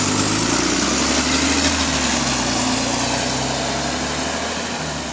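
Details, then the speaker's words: GAL WVL464 diesel bus on route 89 pulling under way: loud engine with a harsh, raspy chuffing rhythm over the note; blowing exhaust leak left unfixed for weeks. "have massive respect to Bexley staff for not fixing the exhaust on this, because they should be aware of this for now."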